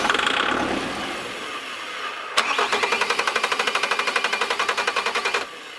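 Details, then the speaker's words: 2007 Bobcat S185, Kubota V2003 turbo diesel, cold weather with heat applied to the engine, white smoke while cranking: steady cranking at about four beats a second with no catch. The diesel cranks but won't start, cause unknown. "still not starting not 1% sure really what's going on we're getting smoked it's cranking over"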